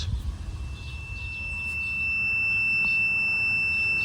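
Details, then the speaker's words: Garden railway track reassembled after trying cardboard pieces: thin high continuity-tester beep comes on partway and holds steady, showing the track is shorting out again; short found on one side of the track only, cause still unknown. "I give up I got the track back together and now it's shorting out again I have no idea why"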